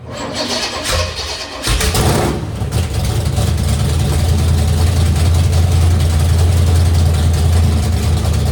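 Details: Forgotten 1964 Impala drag car, started for the first time in decades after the points were cleaned and set at 0.016": a couple of seconds of cranking, then it catches and settles into a deep, steady big-block rumble; it starts and runs.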